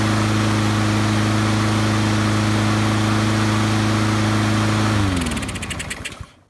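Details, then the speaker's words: Honda-powered auto-choke lawnmower after the Honda service-bulletin fix for chugging and stalling after startup, new governor spring fitted and rpm set near 3000: steady, even governed hum with no surging, then clean spin-down at shutoff; healthy. "Set your RPMs to as close to 3000 as you can, and it's going to solve that problem in most cases on your Honda powered lawnmower that has the auto choke system on it."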